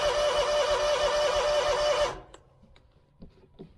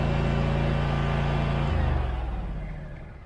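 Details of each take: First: Scag mower with Kawasaki FX691V after carburetor replacement, about 12 years old: steady starter cranking about three turns a second, no firing; tank empty though fuel gauge suggested gas. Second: Scag mower with Kawasaki FX691V V-twin after carburetor replacement (previously popping, backfiring), restarted with a little choke, not fully warmed up: even deep beat, no pops or backfires, then winds down at shutoff; running normally.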